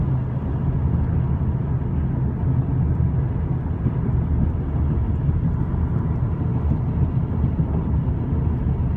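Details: 2013 VW CC R-Line while driving: constant low droning roar at cruise with no clicks or knocks; unusual tire noise, cause not yet found.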